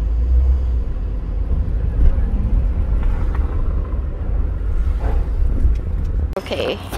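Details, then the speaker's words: Honda Fit with 164K miles, rough idle: loose metallic rattle over the engine rumble from a seized AC compressor with a broken internal bearing and a non-engaging clutch, plus a rattling worn drive belt tensioner. "this is the AC compressor okay it's got a little rattle is that a bearing yeah so broken bearing yeah"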